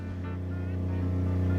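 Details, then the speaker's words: RV water pump under bathroom floor, mic in bathroom above, after quieting modifications (pump had been cycling every 15 seconds): steady low smooth hum, no rattle; about half as loud as before. "you can definitely hear the pump running it's down right below me in the floor but it's quieted up significantly from what I had before"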